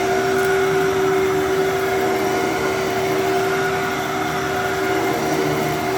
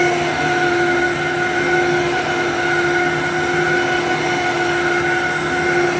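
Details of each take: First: Wow. Okay. For some reason, I thought that was going to sound way worse than it did than it than it does. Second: So, this one's at least this one has a little bit of bearing noise, but this one has good headlight wiring.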